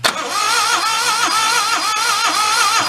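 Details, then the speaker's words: 1992 Daihatsu Hijet mini truck cranking at full throttle on battery and charger during compression testing; a high whirring tone swells and fades about once a second and sounds the same with plugs out; owner fears the engine may be cooked. "oh no that's not good funny part is it has the same kind of sound to it even with the uh plugs out of it you know that what i thought was compression it might be your issue which might be done cooked"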